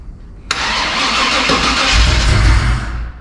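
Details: 1985 Chevrolet C10 with swapped 1999 Vortec 454 7.4 V8, fuel injectors just reinstalled, oil and antifreeze filled: brief even cranking then the V8 catches with a deeper rumble before being shut off; cranks and fires normally.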